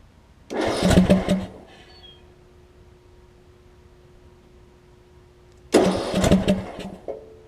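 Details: John Deere LA105 riding mower, sat a long while, after fuel tank cleanout and carb cleaning, using starter fluid: two short cranking bursts with uneven chugging, never catching; hard start, cause unclear.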